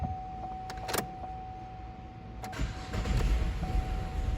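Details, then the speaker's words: 2012 GMC Acadia crank no-start with codes P0689/P1682 (ignition relay feedback circuit low voltage), after a blown fuse was replaced: chime and relay clicks, then the engine starts and settles into an even low idle. "السيارة اشتغل. بس خلونا نمسح العطل. اشتغلت السيارة."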